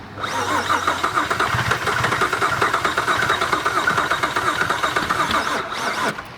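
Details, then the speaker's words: Saturn V6 that ran low on oil and got hot on a drive from Buffalo to Rhode Island. Fast, even cranking that never catches and spins too freely; compression test found one cylinder at 60 psi and one at 95; engine worn out. "well there's no real pressure coming out there either so i got my all compression tested out i checked the engine it was shot one cylinder only had 60 psi one at 95."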